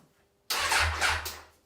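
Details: 1994 Suzuki GSX-R 1100, stored for over 10 years, with the carbs still fitted. One short, roughly one-second burst of starter whirring; the engine spins over but never catches or fires. It cranks but won't start.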